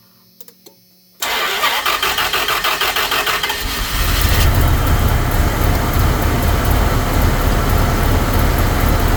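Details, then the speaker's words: Mopar engine started right after throttle body cleaning and air filter replacement: it cranks and catches, then runs a lumpy, uneven idle with a stumble, one cylinder misfiring, gradually smoothing out; start-up misfire after cleaning is described as typical. "Oh, think I got a cylinder. are misfiring. It started up pretty good though for what it but yeah, usually this is kind of par for the course."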